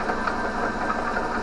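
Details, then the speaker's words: DC motor spinning the alternator in an electric-converted Winnebago LeSharo before the exciter coil and AVR engage; steady even whir with no knocks or surging, no electrical load yet. Normal unloaded running. "the moment as you can hear that everything's just running as soon as that exciter coil kicks on the avr it will slow right down"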